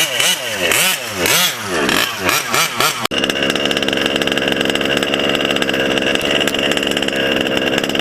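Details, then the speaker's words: Taylor 35 small-bore nitro two-stroke on break-in, untuned with high-end needle set rich: high-pitched revving in bursts, then a blubbery, burbling steady run; still running rich on break-in. "Okay, she's still running, still running rich. Haven't put a tune on her."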